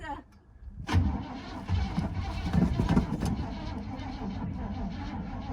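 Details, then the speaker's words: 1975 Chevy C10 sitting 18 years, cranked on a bigger jump pack: starter cranks hard, engine coughs and nearly catches then fades without firing; owner suspects the battery pack isn't strong enough. "It almost came to life. I think my battery pack isn't strong enough though. All right, attempt number 2. No, it's dead."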